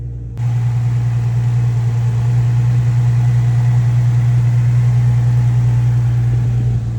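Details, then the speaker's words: Nissan 350Z after a squeaky belt fix with new belts, a Z1 Motorsports lightweight crank pulley and a pulley delete, idling on a cold day with condensation: an even, steady low idle with no squeal, chirp or knock. It is running smooth. "everything this running smooth now oh that just condensation from the cold"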